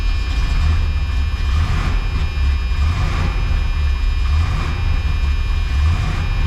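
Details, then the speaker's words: Supercharged 1976 Chevrolet Corvette Stingray, first start after sitting for years, starter possibly hot: deep steady rumble with slightly lumpy beat, running a little rough; a buzzing noise also present. "this run a little rough but on running"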